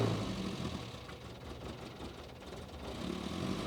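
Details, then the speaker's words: 1967 MG Midget from a barn, first start with choke out and newly set carbs: cold engine idles unevenly, lumpy and wandering, a little high; good oil pressure, tach not working, and the carbs are suspected to need adjustment. "okay A little High Rev but well it ran okay well so we gotta go through and figure out some stuff on the carbs"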